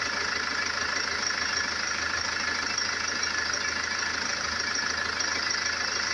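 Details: Range Rover Evoque 2.2 diesel, 78,704 on the odometer, idling: steady even smooth clatter with no knocks, misses or odd noises; healthy engine.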